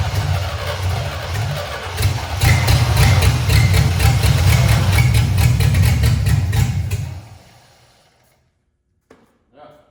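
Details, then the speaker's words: C65 dump truck idle about 10 years, first start of its replacement V8. It catches and runs lumpy and uneven for several seconds, then dies. Rough running on a tired fuel supply; cause suspected, not confirmed. "It'll need a tune-up. Okay. But well, it runs."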